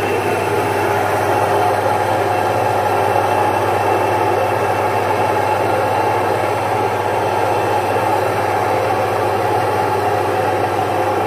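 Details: Single-phase 1 HP domestic stone flour mill grinding jowar (sorghum) flour; steady even motor hum with smooth, unbroken grinding rush and no knocks or surges; normal grinding.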